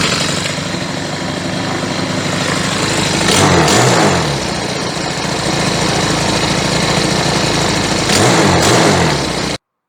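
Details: Troy-Bilt four-stroke weed eater after replacing stale yellow-tinted gas with fresh fuel: fairly steady idle with a couple of brief blips, no sputter or stalling; now runs smoothly.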